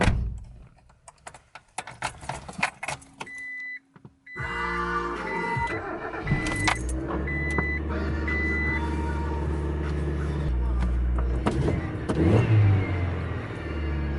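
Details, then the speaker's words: Small red Ford Aspire, 63 hp, after tune-up (plugs, wires, cap, rotor) and cleaning of MAF sensor and throttle body: keys and chimes, engine fires first try, holds a steady idle, then a clean rev with better response; normal start. "Not that 63 horsepower is fucking incredible, but tune-up worked."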